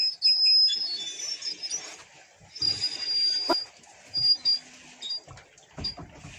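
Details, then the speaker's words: Rear drum brake with the wheel removed, in reverse, turned backward: a thin, high whistle comes and goes as the wheel rotates, a dry, squealing drum brake; the drum then proves hard to remove. "Сейчас тут нейтралку поставлю. Вот слушайте этот ужасный свист. А когда сдаем назад, смотрите."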